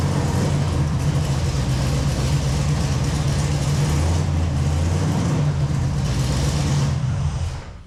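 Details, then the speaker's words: 1968 Camaro fresh 383 stroker V8, carbureted: rough, lumpy running only on held throttle, then sags and dies immediately; idle too low with throttle all the way off, fuel pressure good. "What I'm seeing is I need to turn the primary idle back up because it just died immediately."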